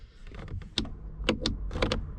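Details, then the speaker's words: Fiat Ducato camper van, key on, operating electric mirror: brief separate whirring bursts, motor runs but the bottom blind-spot mirror glass does not move; mirror wiring or motors to be checked. "can hear the motor working. But yeah, the bottom blind spot mirror over there doesn't work, even though the motor works on it."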